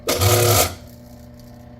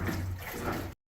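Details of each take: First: GE stacked washer/dryer combo (GTUP270EM5WW), front panel off: loud rough grinding bursts from the washer during agitation, to be fixed by replacing three parts, a worn clutch and shifter. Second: GE GTUP270EM5WW stacked washer/dryer combo after repair for loud grinding from the washer, running a test load: water swishing and sloshing over a low steady hum, no grinding left; normal wash cycle.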